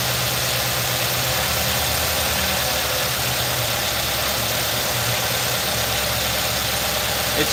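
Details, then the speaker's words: 2018 Nissan NV3500 5.6 L V8 with a sludged engine, idling with an uneven, loping beat and shaking from a misfire caused by a failing ignition coil; spark plugs good, earlier tapping and rattle gone after engine flushes. "shaking i can tell it's misfiring yeah that ignition coil has been misfiring too long and ain't no good"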